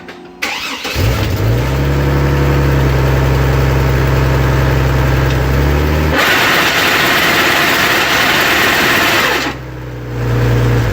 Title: 02 chevy trailblazer grinding/whining sound when put into gear